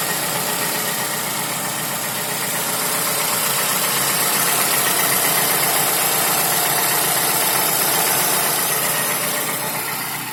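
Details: Toyota Camry 55 with 2AR-FE engine, warm idle: light regular tapping about four per second over the engine; dealer found nothing, connecting rod knock ruled out, timing chain checked fine. Engine knock of unknown origin.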